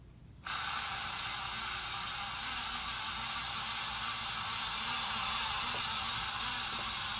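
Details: 53-inch Casablanca Spirit of Saturn ceiling fan, recorded November 2018, running with bad bearings: a steady hissing rush with a faint rough rumble beneath. The worn bearings were later replaced.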